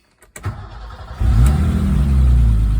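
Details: BMW E30 after the loose alternator belt was re-tensioned: short crank, then a clean catch into a steady, even idle with no squeal or chirp; belt squeal fixed.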